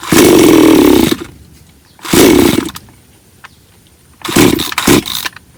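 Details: Bonto 5200 chainsaw that wouldn't start, stale fuel or a blocked carburetor suspected: after fixing, it fires and revs cleanly in three short bursts, a crisp buzzing two-stroke picking up readily; runs fine now.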